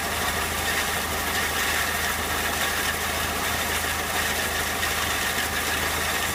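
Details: 2001 Peugeot 206 1.6 16V petrol at idle: steady idle with a constant low drone and hissy, rattly overlay that doesn't change; owner suspects the clutch, cause unconfirmed.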